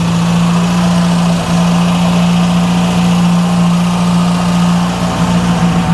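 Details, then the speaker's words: Mk1 Ford Fiesta Ghia 1.1 barn find, just started cold on choke: steady fast idle, smooth even hum, no misfire. Normal cold idle; the earlier no-start was put down to the plugs and a choke not sealing. "well she's still going I don't want to mess with her just yet let her let her warm up a little bit"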